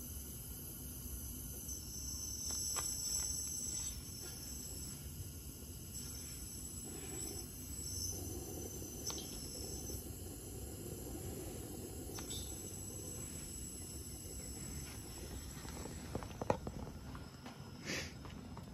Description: Dyna-Glo Grill has strange "hissing" sound when ignited.